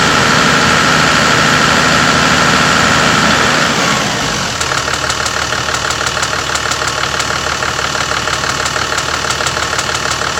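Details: Toyota Land Cruiser HDJ81 diesel idling with a fast, steady tick-rattle about three times a second near the sump, louder in the cabin than outside; cause unknown.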